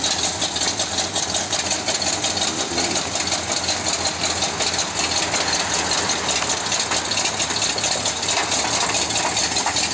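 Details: Demolition derby car engine idling: repeated knock about three a second sounding like rod knock, actually loose flexplate-to-torque-converter bolts; knock gone after tightening with Loctite.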